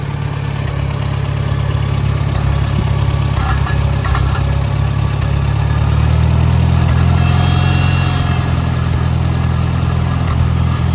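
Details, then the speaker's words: A 1961 Farmall 140 with an added magneto, new plugs and plug wires, and a muffler from a Super A runs at a settled idle with a deep, steady low thump and no knocks, misses or stumbles; it runs smooth and healthy. "So I'll start it up here and I'll show you how it runs."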